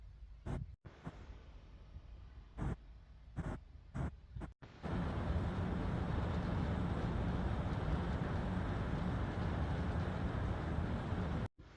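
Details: Home AC system with a not-cooling complaint, about 5 minutes into a run with a 20-degree vent-to-return split, thermostat reading 90 and set to 75, outdoor ambient over 100°F. After a few clicks a steady fan and compressor hum holds even: normal operation.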